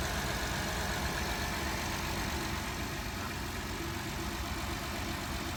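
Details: 2012 Honda Odyssey V6 after the P3400 repair, with the rocker arm oil pressure switch replaced and the oil changed: a smooth, even idle with a steady low hum and no ticking or roughness. A healthy engine.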